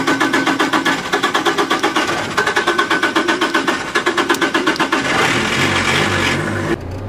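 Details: Old Opel Corsa in midday heat, driver pumping the pedal: starter churns about four beats a second for several seconds without catching; long cranking, no start.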